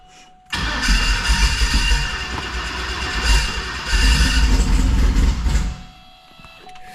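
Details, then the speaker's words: LSXcalade twin-turbo Escalade, newly rebuilt Dart block 427 V8 with CNC-ported Brodix BR7 heads, 4L80, in park: cranks and catches roughly, sputtering and surging before settling; hard start, tune needs tweaking for the new heads. "Yeah, it needs a little tweaking from the different head setup."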